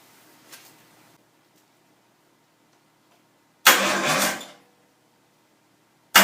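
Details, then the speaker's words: Nissan 240SX S13 with RB20DET swap, first start attempt after rewiring the engine harness and relays, no throttle given: strong cranking bursts that never fire; ECU seems powered, but ignition and fuel injection are still to be checked; crank no start. "cranks pretty good I think well getting that far I mean I would have liked to it to have it started up but kind of expected it that it might not"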